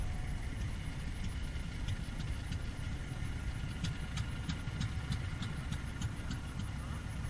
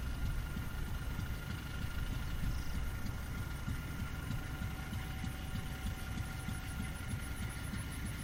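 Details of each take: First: Fairbanks 208 single-cylinder oil-well engine, just started by spinning the flywheel: slow, uneven, faltering chuffing with sharp ticks, barely keeping running; suspected not enough gas from the well yet, probably being fed gasoline. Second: Fairbanks 208 single-cylinder engine on an oil-well pulling unit, just started by spinning the flywheel after a pump change, probably fed gasoline as well gas is weak; steady low thumping, even unhurried firing, no knocks or misses, running normally.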